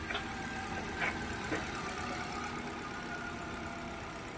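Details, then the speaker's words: Hyundai Accent with hard starting, after replacing crankshaft position sensor: starts on one click, low even idle with soft steady beat, no misses; engine running normally after repair. "Yan oh. Goods. Goods na goods."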